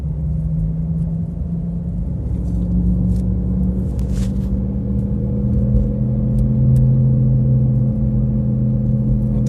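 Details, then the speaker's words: Driving, worn left-side hub bearing hum: silent over speed bump, steady low drone appears accelerating from about 30 km/h up to 70–80 km/h then fades, on straight road over road rumble. "Так что как гудит ступичный подшипник вот я сейчас буду переезжать лежачий полицейский тихо все тишина разгоняясь появляется голод 30 километров в час и где-то до 70-80 потом он пропадает на прямом участке дороги"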